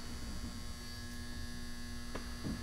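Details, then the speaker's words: Loud constant low hum strong enough to shake the case from a barn-found frequency counter at power-on, humming like it's going to explode; thought to be just the transformer. "that's it's humming like it's good to explode kids although honestly if there's no if it's just say season it's just a transformer"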